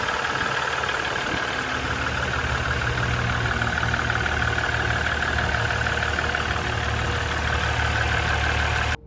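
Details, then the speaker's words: Ram 1500 EcoDiesel with brand-new zero-mile Mopar replacement engine, fitted after original failed at about 117,000 miles with 8 psi oil pressure and metal shavings; steady even idle clatter with a faint whine, smooth and healthy. "so here's us pulling the engine and we ended up replacing with a brand new zero mile mopar engine from the factory and you can hear it running here"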